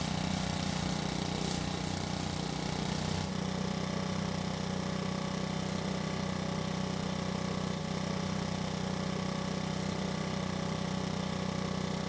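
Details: Makita four-stroke leaf blower after repair and oil change, test run: steady, even hum at idle with no misses or rattles; really quiet at idle, healthy.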